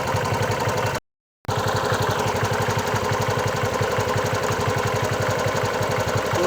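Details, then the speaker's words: Bajaj Chetak 4-stroke scooter, warm after 10+ minutes of running following replacement of a defective CDI: an even, steady putter with no knock, stumble or misfire; normal warm idle. "ये more than 10 minutes work कर चुका है और अभी इसमें कोई प्रॉब्लम मुझे नहीं दिख रहा है।"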